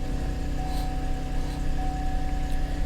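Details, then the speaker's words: Salvage auction car listed as a no-start, oil pressure reading 70: starts right up and idles with a smooth, even low hum and steady beat, no knocks or misses. Normal idle. "looks like everything is lit up everything comes to life those starts right up"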